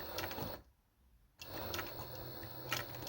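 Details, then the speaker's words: Necchi 831-101 walking-foot machine with new 550W servo motor sewing two layers of jeans, 130 needle, low speed: quiet even needle and feed ticking, soft motor hum, brief pause; healthy smooth servo sewing. "Now we are sewing two layers of jeans. [snorts] This is the sound of the motor. And this is the speed."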